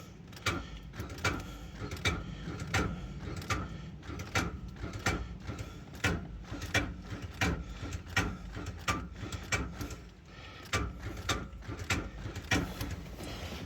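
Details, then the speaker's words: Car won't crank at 171k miles after an alternator, possibly from another vehicle, was fitted with a too-long belt; uneven dry clicks and clunks about once a second, starter engaging but engine not turning, sounds locked up. "sounds like it's locked up"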